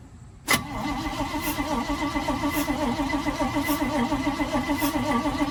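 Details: 1971 Chevrolet C40 truck after carburettor cleaning, fuel smelled but no spark: starter churns at an even three-plus beats per second, never catches; distributor cap installed backwards.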